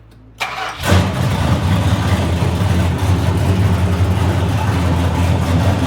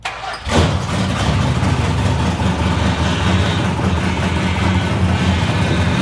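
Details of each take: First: 1970 Dodge Challenger V8 with an overhauled power steering box, no mufflers, front pipes only, started for a few seconds at a time; it cranks, catches and idles loud and lumpy while the thirsty box draws the power steering pump dry, possibly needing about a quart or two of fluid. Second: 1970 Dodge Challenger V8 (Kowalski replica), open exhaust not yet finished, started after power steering box overhaul to check for leaks: brief crank, catches cleanly, loud lumpy but steady idle, no knocks; gauges, charging and oil pressure fine; runs healthy.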